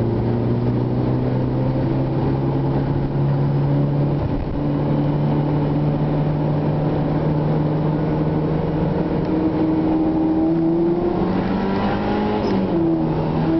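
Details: Honda Integra at 3/4 throttle in 3rd and 4th gear: the engine note climbs quickly and jumps higher under load without a matching gain in pull. The clutch is slipping.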